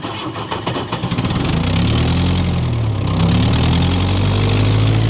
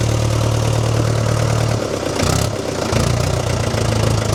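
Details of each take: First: Old diesel with torque converter, standing about 5 months, stiff throttle, third start attempt using heat: slow labouring crank for about a second, then catches and climbs to a rough steady idle near four beats a second; hard cold start. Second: Old positive-earth, dynamo-fed tractor diesel standing about 5 months, jump-connected to crank faster: heavy slow clatter dips briefly then picks back up to an even steady beat; normal start and idle.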